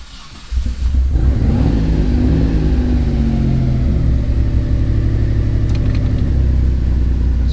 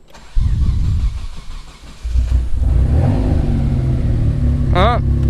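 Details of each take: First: Mitsubishi 3000GT VR4 / Dodge Stealth being set up with a two-step and flame tune: after earlier dying and a worrying noise, the engine catches and settles into a steady, deep, even run with no knocking or rattling; normal running. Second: Warm Mitsubishi 3000GT VR4 with a new two-step flame tune stalls, then gives a few seconds of rough cranking and stumbling before catching into a deep, uneven idle. Owner suspects too much fuel cut; no knock, oil pressure good.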